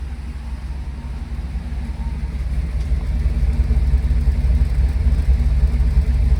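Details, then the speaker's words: GMC Sierra V8 just rebuilt with lifters and cylinder heads, warming up to temperature at about one lambda on E10: deep steady idle with gentle lope near three beats a second; quiet lifters, great oil pressure, healthy. "got like the slightest lope to it yeah this thing's good to go like I said great oil pressure runs great headed up to Temp everything's good"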